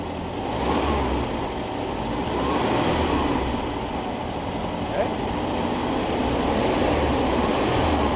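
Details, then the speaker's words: 1973 VW Squareback Type 3 air-cooled flat-four after a tune-up, vacuum advance hose reconnected. Even thrum swells smoothly and settles as the throttle is blipped, no misfire; timing is seen advancing on revs. Normal rev. "And I'd like to see if our timing advances when I rev it up."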